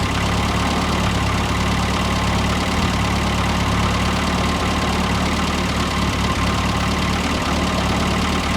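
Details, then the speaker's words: 1973 MG Midget, off the road over 21 years, about 50,863 miles, first restart: steady even idle, smooth low rumble, no knocks or misses; idles like new. "Some kinks to work out, but it runs and it idles like it's brand new."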